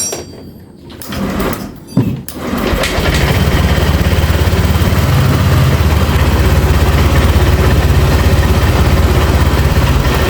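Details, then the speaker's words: Honda Vario 150 scooter after repairing dead electrics (weak battery, blown 25A fuse, rodent-chewed injector wire and socket, MIL code 12): fuel pump hums, a couple of clunks, then steady even idle with no misses; healthy start. "ya dan pulpam pun langsung berdengung kita dengarkan lagi matikan berarti pertanda Ini motor sudah bisa dihidupkan"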